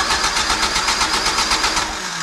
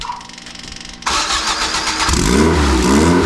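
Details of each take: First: Engine with jets loosened, idle turned up: catches in quick uneven pulses, four or five a second, then sags and fades, not continuing to get fuel; stumbling, owner suspects jetting. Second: Free truck that had sat with 20-year-old diesel in it, first start with no accelerator pump: starter catches, engine fires and blips cleanly with even firing, making 50 psi oil pressure. Motor sounds really good; normal running.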